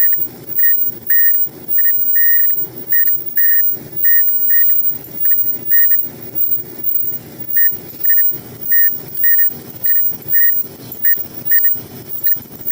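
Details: Front-load dryer running with a sharp high chirp repeating a little under once a second as the drum turns over a soft rumble; squeak starts after running a while, located at the front drum sliders, which are to be replaced.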